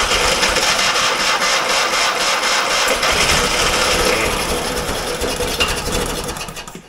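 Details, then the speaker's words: Fiat 126 barn find, stood many years: ragged uneven popping about four a second, fading within seconds; catches briefly, likely only on sprayed brake cleaner, no fuel seen in hose. "Fan, han startade, hörde ni? Fast han gick ju förmodligen på bromsrengöringen."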